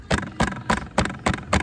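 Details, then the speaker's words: KTM RC200: six sharp tinny rattles, about three a second, as the chain guard is tapped; guard is loose because its rubber mount falls off with use, so it hits the tyre hugger rod. "आप देख सकते हो आपको ये पूरी पूरी नॉज सुनाई दे रही होगी एंड गाइस जैसे कि यहां पे ये लूज हो जाता है ना आप जो देख रहे हो उसकी वजह से यहां पे जो ये है ये स्टेबल नहीं होता है"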